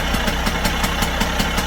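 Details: Vespa 50 Special first start after 10 years: sharp regular two-stroke pops about five a second only while the sprayed starting fluid burns; spark present, fuel hose looks too big and long.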